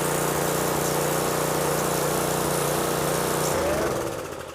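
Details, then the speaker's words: Craftsman 550 pressure washer, about 5.5 hp, Briggs plastic carburetor varnished after a winter sitting with fuel; after carb cleaning, primed and pulled, it runs at a steady, even putter with no misses or surging, then winds down smoothly when switched off: normal running. "then go ahead and pull just make sure that she runs"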